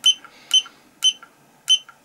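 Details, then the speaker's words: Battery cell checker on a finished 4S 18650 Li-ion pack (Molicel P28A): short sharp high beeps about every half second stepping through cell readings, cells closely balanced; normal readout beeps. "then we can put the battery cell checker on here and it should say 4S 14.6 and we can go through the battery cells"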